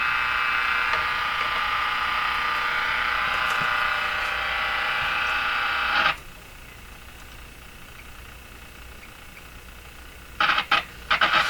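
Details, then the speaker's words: Northern Electric Baby Champ tube radio near 1580 AM, same resistor-coupled antenna as a sister set that stays quiet: harsh steady buzzing hiss drowns the station for six seconds then drops away; interference pickup, source unknown (ether or generated internally). "Why would one radio pick up this noise and the other one not? Is this noise out there in the ether, or is it being generated by the radio somehow?"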